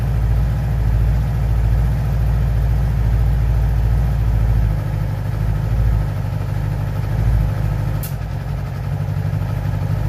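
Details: 2011 Yamaha R6 idling: a slightly lumpy idle with uneven exhaust puffs and one sharp crack. The cause of the popping is not identified.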